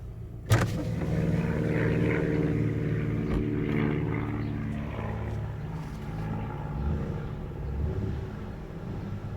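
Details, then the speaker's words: 2003 Acura MDX at low rpm on a test drive after the catalytic converter heat shield was clamped: smooth engine and road hum. The earlier metallic, bell-like rattle is gone. "absolutely beautiful the sound disappeared boy oh boy I used to bottle the hell out of me yep that took care of it"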